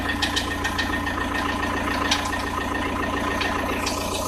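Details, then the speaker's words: Audi A6 C4 1.9 TDI diesel at cold idle, at 0–5°C ambient: sharp knocks at uneven intervals over the clatter, heard near the timing belt. Tensioner rollers are fine. It fades as the engine warms; source unknown. "Непонятный звук мотора, неравномерное постукивание."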